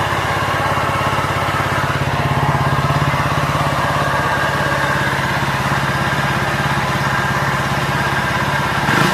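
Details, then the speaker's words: Honda Vario 125 scooter that seized after radiator coolant ran out, coolant mixed into oil, freed by cranking with oil: steady idle with hard, rapid, loud internal knocking; serious internal engine damage, engine must be split. "dan suaranya Udah jelas ya itu di bagian mesin ini tanpa komponen persipitian ya teman-teman jadi wajib kita belah"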